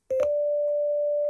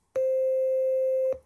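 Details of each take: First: you can hear that that's a very pure sine wave Second: Penny organ (Arduino, touch sensor, four digitally controlled oscillators) playing a single held note from the first DCO, which has a faint buzzy edge instead of a pure sine; the second oscillator sounds pure.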